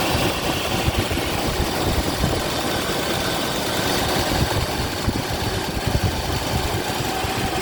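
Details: Mercedes W126 V8 on LPG, just after the misfire and backfires were fixed by feeding more LPG: even, steady idle with no pops, stumbles or backfires, running cleanly; normal idle.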